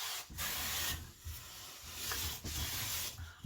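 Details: Clifton 5½ hand plane taking light shavings from the center of a walnut board: long, even swishing strokes with no chatter or skipping. The plane cuts smoothly.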